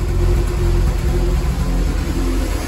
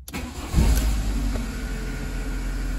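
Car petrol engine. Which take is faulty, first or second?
first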